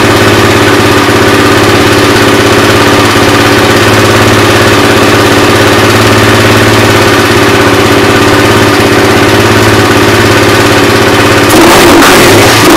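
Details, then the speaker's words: Suzuki LT-R 450 quad after CDI replacement, battery charged, air filter off, choke likely on: steady even single-cylinder thumping at constant speed with no misses or knocks; carburetor seems fine; normal idle. "i consider that successful carp doesn't seem like it has too many problems at all"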